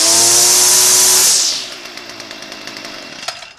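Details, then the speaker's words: STIHL FS45C trimmer unused about 6 years, after carb clean, carb kit, new primer and fresh fuel: sharp high two-stroke scream at full throttle dropping cleanly on release; runs smooth and even like new. "you start running up runs like a brand new one"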